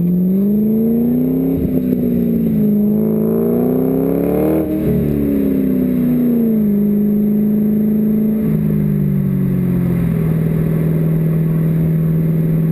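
Engine revs up and down with an uneven, stumbling beat and slight clatter under the tone; running rough, misfiring.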